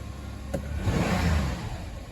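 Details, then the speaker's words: Kia Rondo 2.7L DOHC Hyundai Mu V6 (190 hp), test fire right after a DIY spark plug change: fires right up, revs swell smoothly and fall back to even idle, no misfire or stumble, no engine lights; normal. "Fire's right up. No engine lights yet."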